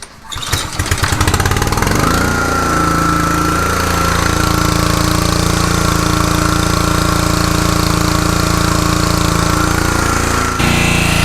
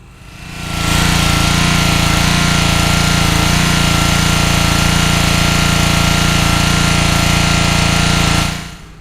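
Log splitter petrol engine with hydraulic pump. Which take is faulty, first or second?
second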